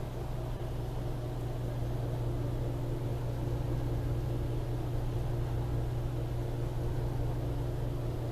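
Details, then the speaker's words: HeatStar 5000 BTU garage heater, running constantly four months into second winter, thermostat 15–20°C: low, quiet, steady motor hum with even airflow whoosh, no ticking or grinding; normal blower operation. "and if I stop talking here you can clearly hear how the motor is running right now it's fairly quiet"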